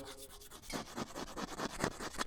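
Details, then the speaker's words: Hydraulic cylinder piston from a "Flying Scraper," O-ring seal removed, slid back and forth: rough, gritty rasping about four to five strokes a second; rod so rusted and scored that no seal would last, rechroming advised. "This piston is so rusted and scratched that there is no way you're ever going to get a seal to last in there. It's going to work for about 5 minutes and it's going to start leaking again."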